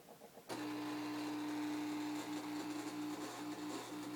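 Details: Refrigerator that often acts up starts suddenly into a steady hum with a wavering, mid-pitched tone that flutters repeatedly; abnormal noise, cause not clear.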